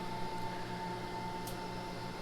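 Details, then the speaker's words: Sundown Audio amp dyno at 121 degrees, warm from big certified test runs (2 ohms, 4479 watts, 14.3 volts); its cooling fans kicked on, a soft steady hum with low drone and faint higher whirr, unchanging, running normally. "you hear that noise we've got our our amp dyno is getting warm from these big tests we're up at 121 degrees on it so our fans have kicked on"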